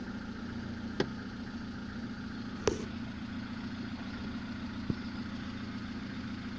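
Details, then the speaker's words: Lada gearbox after replacing input shaft bearings, which had knocked while the input shaft turned and went quiet with the clutch pressed: even, quiet idle hum with a couple of stray clicks, no repeating knock, same sound with clutch pressed; normal gearbox idle. "звук не меняется стука нет коробка не стучит"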